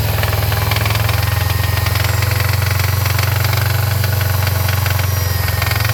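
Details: 2013 Subaru STI boxer engine after secondary air pump system removal (blocking plates fitted, CEL tuned out): rough rapid metallic rattle, about three to four knocks a second, over loud low idle on start-up; cause suspected by owner, unconfirmed.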